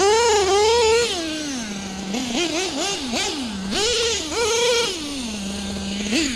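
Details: Nitro LST RC truck with a rebuilt carburetor: tiny engine screams up in quick bursts, then drops to a thin, unsteady low idle hesitating off the bottom; running super lean on the bottom end, new carb planned.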